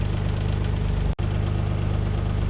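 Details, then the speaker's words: Mazda KL-DE 2.5 V6 swap, warm, adjusting the idle in quarter turns: smooth, steady idle at about 950–1,000 rpm with some hunting, too high against the wanted 400–600 rpm. "we're still on 1,000 RPM on that I another quarter of a turn so another quarter of a turn shine about 950 you want to get 400 to 600 these idle really"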